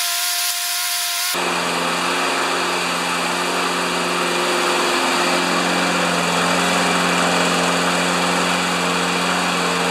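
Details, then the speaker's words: Older Turf Power (Briggs) mower engine, primed and nearly out of fuel, starts and holds a steady, even single-cylinder buzz at constant pitch with no stumbles; it runs right. "it runs right and you saw it running just a few minutes ago"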